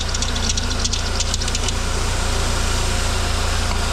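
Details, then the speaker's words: Idling car with harsh metallic chirping and squealing from the accessory belt, which spraying quiets immediately; the belt was then cleaned of dirt and oil in its grooves. Accessory belt noise. "listen to that terrible metallic noise it's making"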